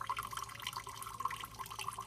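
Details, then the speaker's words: Demo furnace with double-trapped condensate line, AC running in hot, muggy Florida, both traps full of water with no trapped air: quiet steady trickle with no gurgling or burping, draining as fast as it fills; normal drain flow. "We're making a bunch of condensate. And now we look down here. We're draining perfectly normal."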